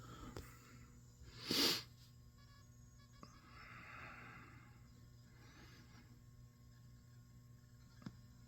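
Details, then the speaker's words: GT FORE after removing a 1 µF capacitor that had killed a 3.6–3.7 V rail; boots with no constant audio popping, quiet steady electrical hum with soft hard-drive read clicks. "And first thing you'll notice booting, and there's no popping noise. I can hear the noise coming from the hard drive reading, which is great."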